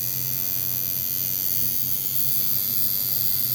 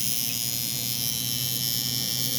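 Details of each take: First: Cheap coil tattoo machine being tuned for lining with needle added, around 97-100 cycles per second at 45-50% duty: fast harsh raspy buzz, sounds out of tune. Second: Cheap coil tattoo machine tuned for lining, 13.27 g armature bar, around 119 CPS, 48% duty at 7.4 volts; steady even high buzz with no stutter or rattle, running smoothly.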